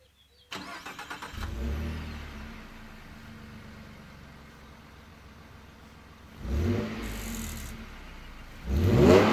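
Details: 2013 Ford F-150 3.7 V6 idling, then three quick revs, each ending with a brief rattle as revs fall; source unknown.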